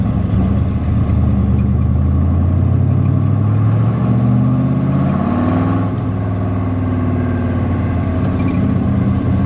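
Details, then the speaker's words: 1966 Corvette Stingray, 425 hp 427 big-block V8, side pipes, after sitting 15 years then repaired: deep even burble cruising in 4th gear at slow speed around 1,300 rpm, smooth pickup, no lugging or knocks; normal low-rpm cruise. "It cruises in 4th gear at slow speed pretty good though. You can run it at like 1,300 RPM, but you know, of course, I think it's got enough power not to lug, so."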